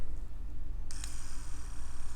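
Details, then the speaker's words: Ambition Sol Nova wireless tattoo machine, battery possibly non-original, switched on at 5 V; thin, uneven high buzz over low hum, motor barely turning and sounding strained, cause not confirmed. "она заработала на звук странный то есть даже но для 5 вольт слышно что еле-еле мотор шевелиться"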